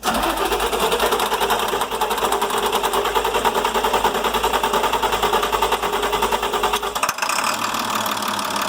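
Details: International MaxxForce DT466 diesel that previously wouldn't restart once warm: steady, clattering idle with even beats and no misses, running smoothly and evenly; it will be warmed up to test a hot restart.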